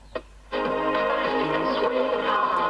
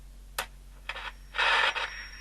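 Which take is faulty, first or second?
second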